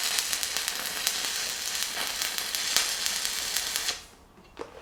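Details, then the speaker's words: Fronius TransSteel 2200 stick welding a 3/32 7018 H4R rod at 90 amps: even crackling sizzle for about four seconds before the arc breaks off; steady, healthy arc. "so it runs that pretty smooth like I said this is just a regular 3302 708 h4r if that matters to you"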